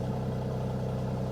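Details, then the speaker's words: Mercedes AMG C43 at a salvage auction yard, went off the road, just started: steady low idle with even quick pulse, no misses, rattles or knocking; sounds wonderful. Normal idle. "This thing is absolutely loaded. It sounds wonderful, guys."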